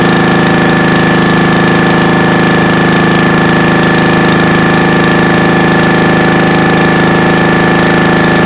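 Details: 1996 Brave log splitter engine, about 30 years old and thought seized, started after carbon burn-off and a premix primer shot: a fast, even single-cylinder chug with steady tone and no misses or knocks; normal.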